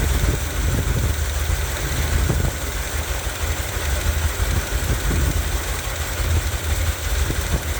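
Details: 1978 Corvette V8 running with windowed valve covers for diagnosis: low, slightly uneven idle with faint irregular ticking; a worn camshaft lobe has worn a dished face into its hydraulic lifter.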